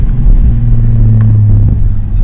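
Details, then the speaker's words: Nissan 350Z after installing a new stock fuel pump, having sat about two weeks with a failed pump: deep, even rumble without misses or knocks; engine running good, normal running. "more shake engine so far is running good"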